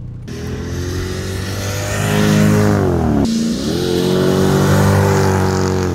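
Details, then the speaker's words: 2001 Mercedes W210 E55 AMG V8 accelerating after a $6.99 fix of a months-long intermittent misfire caused by a backed-out bolt. Clean pull, dip on the shift, then climbs again with no stumble or misfire. "thing runs so good"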